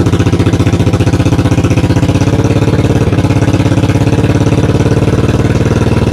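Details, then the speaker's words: 1982 Yamaha XV920 V-twin, first start after cafe conversion, with oil coming out of the exhaust: very loud, blunt idle with a lumpy beat about twice a second, backfiring quite a bit. The carburettors are out of tune and need tuning. "so um yeah she was loud she backfired quite a bit so i've got some tuning to do"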